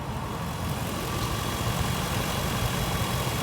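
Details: 2004 Ford Excursion XLT, gasoline, brand-new factory 5.4L V8 with warranty, automatic, 4WD; it cranked a little slow and the battery likely needs replacing. A steady, even low idle rumble with no knocks, misses or ticks; normal idle.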